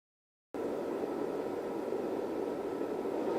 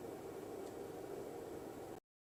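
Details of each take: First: Rigol DP832 power supply with stock SUNON ME80251V1-000C-A99 80mm fan before replacement: constant airy whoosh with a faint steady whine creeping up slightly; noisy cooling fan. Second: Rigol DP832 power supply after replacing the stock SUNON 80mm fan with a 92mm Noctua NF-A9 PWM on a 3D-printed 80-to-92mm duct: soft even airflow hush with faint low hum, no ticking or buzzing; normal fan running.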